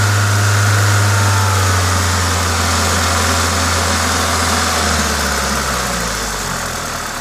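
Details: Toyota 2ZZ-GE engine revving normally, rising smoothly and settling back down; the steady hiss comes from an induction kit; no knocks or rattles, healthy.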